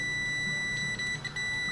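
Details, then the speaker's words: Montgomery Ward Airline 62-306 Teledial radio, on/off switch on volume control checked with continuity meter: steady beep drops out as switch is wiggled, intermittent contact; hoped to be a cleanable contact issue. "I have the switch turned in the off position. We'll turn it on. And we don't have continuity, but I can move it around."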